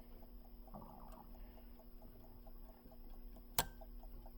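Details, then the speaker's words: Factory electric clock from a 1964 Chevelle SS: when the contact gap closes, an electric winder snaps the piece back and rewinds the spring. Heard as one sharp click over quiet ticking; normal operation, no electric motor running. "And as soon as that gap closes, it makes an electrical contact, and then it pulls that piece back down and rewinds the clock. So there's no electric motor winding this clock."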